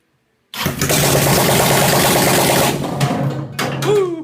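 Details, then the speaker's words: Single-cylinder buggy engine after new spark plugs and plug boots: it catches instantly and settles into a loud, even beat, then crisp throttle blips; it starts and runs well. "But yeah, she sounds good. Smells good. I'm excited."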